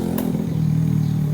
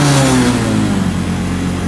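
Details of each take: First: Honda Revo injection (Revo X, PGM-FI, four-wire pump): priming after the fuel pump was replaced. Before the fix the pump didn't hum and the bike stalled after five minutes. Now a clear, steady, even hum holds through the prime at 40 psi; 38–40 psi is optimal. Normal priming. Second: Honda Revo injection before repair, after stalling five minutes into a ride. Pump pressure rose slowly from 0 to 40; revved to the limiter, pressure sinks steadily to zero. The revs sag and waver from fuel starvation.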